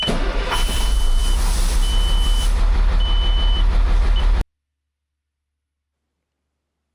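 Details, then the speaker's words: Old Kenworth diesel truck that would not crank, starts after the failed transmission selector is replaced: brief crank, catches and settles into an even low idle with dash beeps; normal start and idle. "Ми ставимо його на місце, підключаємо і автомобіль запускається."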